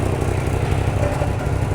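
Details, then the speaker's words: 1986 Oldsmobile Custom Cruiser wagon, heard at the exhaust with many leaks and the rear section missing: uneven, lumpy idle with irregular stumbles, spitting and sputtering before dying. "This thing's got all kinds of exhaust leaks, but we've got we've got I mean, I can feel pretty good pressure. There it goes. Spitting and sputting."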